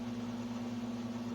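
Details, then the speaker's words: Sunbeam Carousel rotisserie after burned-out motor repair, basket turning during a 20-minute test run with no food: quiet, steady low hum with no clicks, grinding or catches; normal motor running. "We'll see if that heating element gets nice and red hot. The basket's turning very nicely."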